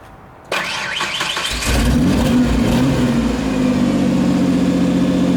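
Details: 1992 Ford Explorer, 4.0-liter, 5-speed, rusty junkyard truck, run under load to check for a miss: it catches, settles, then pulls up steadily with an even, unbroken firing note and no stumble. Runs normally under load.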